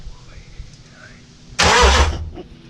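A sudden, loud burst of starter cranking lasting under a second; the engine turns over but never fires or catches.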